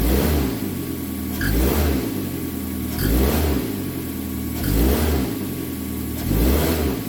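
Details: 2006 Mazda 3 2.0L, road test after replacing engine and transmission mounts for rattling and popping in gear: smooth, steady engine hum rising and easing with throttle, no rattles or thumps; normal driving.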